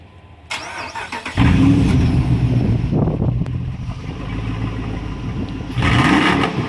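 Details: Truck that won't start with water in the gas tank: starter churns over and over, engine sputters and catches briefly but never settles to idle; crank no start from water-contaminated fuel, fixed by draining the tank and adding new gas.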